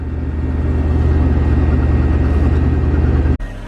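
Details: Porsche Panamera air suspension pump after replacing a blown fuse in the rear fuse box (it had stopped after a pop): a steady low electric drone with a light even pulse runs over three seconds, then cuts off sharply; pump working again.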